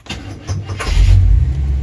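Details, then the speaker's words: 1978 RV that sat 10 years, hot restart with suspect temperature gauge: a few slow, heavy starter turns before catching and rising to a rumble; sluggish hot cranking, owner suspects running hot and plans thermostat and coolant change. "so it starts starts a little bit better now maybe it is on the hot side definitely going to change it to a thermostat"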